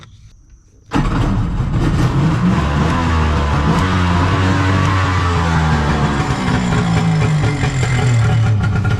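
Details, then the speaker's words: Kawasaki 900 STX jet ski after starter replacement, piston repair and impeller fix, fuel stabilizer added: cold start catches sharply, then steady crackly two-stroke idle with brief rev blips; runs clean and even. "sounds pretty good I think I'm going to have to end the video here"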